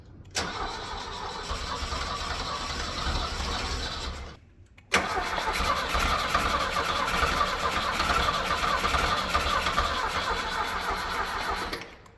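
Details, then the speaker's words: Mustang skid loader engine after jump-pack cranking, float bowl of the carburetor filled: starter churns, stops, then cranks again with uneven catching pops that never run; igniting something in the cylinders, partial firing, no start. "I'm going to say it's doing something. It's at least igniting something in the cylinders there."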